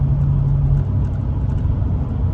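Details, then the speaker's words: GM 5.3L V8 (Sierra/Tahoe) with active fuel management, cruising before the AFM disabler is plugged in. Deep, steady drone shifts in tone: the hollow rumble of V4 cylinder-deactivation mode. "all right here we are in shorty 40 cruising along as you see V4"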